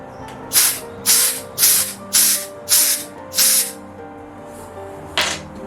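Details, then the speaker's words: 1 lb propane cylinder being refilled from a 20 lb tank with a refill adapter: six sharp hiss bursts, about two per second, then one more, as air is bled off the small cylinder; normal venting. "You can hear the hissing sound there, almost like when we started on the first run. So definitely letting the air out, it allows you to add a little bit more at a time."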